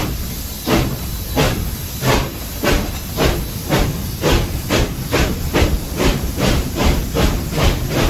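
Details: SoundTraxx-equipped model steam locomotive at speed step 15: evenly spaced chuffs at about two per second, four per wheel revolution. Normal, well-timed steam locomotive exhaust.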